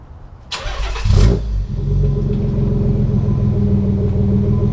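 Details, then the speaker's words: Nissan 300ZX with idle air controller unplugged and idle screw adjusted to about 900 rpm: cranks, catches with a brief rev, then settles into a steady, even low idle with no knocks or misses. "but check out what it sounds like when it's idling at a normal height normal speed which right now I have it set at about 900 so"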